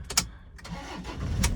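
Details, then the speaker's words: 2010 Toyota Innova diesel; complaint of heavy noise at 60-70 km/h in 4th/5th and slight humming vibration, mechanic suspects a weak gearbox mount; brief crank, catches at once, settles to low even idle. Normal engine start. "നോർമലായിട്ട് തന്നെയാണ് സ്റ്റാർട്ടാകുന്നത്. പക്ഷേങ്കിൽ ഒരു ചെറിയൊരു vibration feel ചെയ്യുന്നുണ്ട്."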